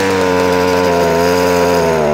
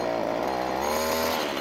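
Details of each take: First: Ryobi two-stroke strimmer after carburetor work and tuning, started off choke: buzz dips briefly then climbs to a steady higher pitch and holds evenly; now running normally off choke. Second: Ryobi strimmer small two-stroke, hard to start, someone had worked on it: fires on choke but bogs when throttle is opened, buzzing unevenly with pitch sagging; suspected carburettor fuel starvation.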